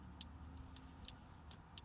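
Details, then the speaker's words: Very quiet, sharp flasher relay ticks roughly every half second over low engine hum, with a new adjustable turn-signal relay set to centre after LED install; barely audible clicking before adjustment. "let's see if it clicks or how fast it clicks let's see what it does sound like it's barely clicking"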